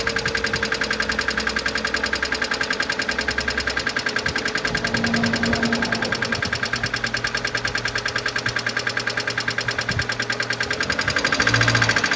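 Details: 2011 Mercedes-Benz A160 W169, 1.5 L M266E15 petrol, 70 kW, 97,955 km. Quick light ticking at about three per second over a steady idle, from a defective hydraulic lifter.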